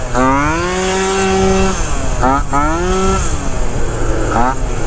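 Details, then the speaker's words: Malaguti Phantom F12 two-stroke scooter with 70cc kit, Yasuni pipe and new Malossi rear shock: revs climb in ragged bursts then sag, burbling and hesitating. Poor running, least happy-running scooter, cause unknown. "so all right shock feels a lot better but F12 just never runs happy bro I must say this is probably my least happy running scooter I don't know what it is"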